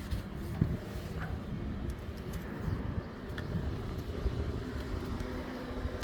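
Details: Tesla Model 3 parked, recorded near the open trunk: steady low hum with tonal drones from the HVAC coolant pump behind the firewall and underbody fans during a coolant air purge after a radiator crack repair.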